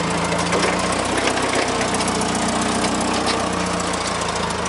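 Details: Clark C500-45 propane forklift after tune-up with new spark plugs, new plug wires, new distributor cap and old rotor: settles into a steady, even idle with constant low drone, no stumbling or misfire, healthy.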